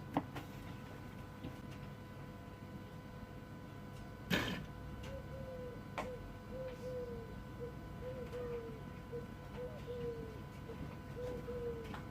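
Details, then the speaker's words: Jaguar XF 2.7 diesel with ABS and ESP warning lights, ABS pump motor now spinning during a test with a faint steady whine near 500 Hz for several seconds; the motor had not run during earlier tests. "but i definitely heard the motor spinning this time which i never heard before"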